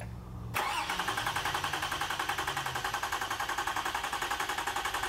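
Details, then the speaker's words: Vehicle cranked with ignition disabled during an AC-coupled starter waveform test, so it should not start: starter cranks steadily at about three and a half even pulses a second and compression sounds roughly even. Used engine was fitted after an earlier bad valve. "i always want to crank it over she always wants to crank it over for us i just keep cranking it it shouldn't start yep"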